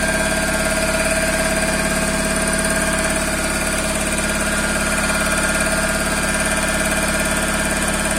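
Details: Toyota Corolla 5E-FE engine at idle: steady idle with a regular light knock, about three per second, riding over the engine; engine knock of unknown origin.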